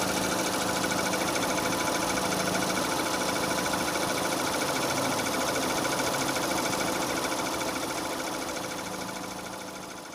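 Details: 2006 Renault Scenic 2, K4M 1.6 with automatic, 202,000 km, warm idle: steady light knock about three beats a second from underneath, appearing as the engine heats; source not yet identified.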